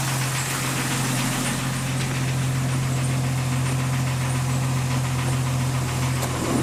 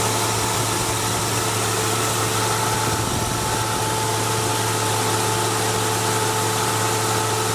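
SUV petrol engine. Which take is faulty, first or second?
first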